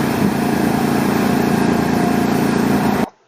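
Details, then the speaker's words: Running engine, injector listened to via screwdriver held against the injector back as a stethoscope, camera at the screwdriver; fast, even, consistent clicking with no skips, meaning the injector fires consistently; normal fuel injector clicking. "here's what it should sound like you can hear that clicking and it's consistent that means that the injector is firing and it's firing consistently"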